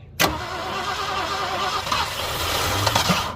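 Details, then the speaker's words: 1967 Ford Galaxie V8, compression 70–113 psi against roughly 120+ spec, one carb accelerator jet suspected plugged; uneven, lazy cranking for about three seconds without catching; low compression, no start. "So spec on this is like 120 and up or something like that on this old engine. 120 and up. So it's not looking good."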